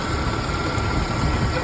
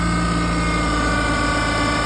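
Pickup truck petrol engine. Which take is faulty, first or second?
first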